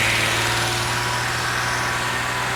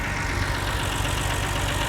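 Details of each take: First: BMW 330i after reseating the cylinder five coil plug: held smoothly around 2,500 rpm and drops back cleanly with no stumbles or pops; smooth revving, no misfire. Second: BMW 330i auction-bought non-runner, now starting and revving: uneven, lumpy misfire from idle up through the revs; misfire from the cylinder five coil pack connector not seated properly.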